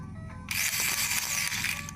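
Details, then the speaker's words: HO-scale model steam locomotive: fast harsh ratcheting gear chatter once the motor runs; owner fears a cracked gear, not confirmed. "doesn't sound good. Almost sounds like a cracked gear. Yeah. I'm hoping it's not a cracked gear, because I can't replace those right now."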